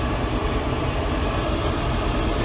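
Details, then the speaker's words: 1992 Mercedes 300E W124, M104 engine, after repair, AC off, about 13-14 V: strong steady rushing roar with even low hum, no rattles; auxiliary radiator fan running normally at high speed. "high speed is the one that really sucks the juice but that's not [Music] bad"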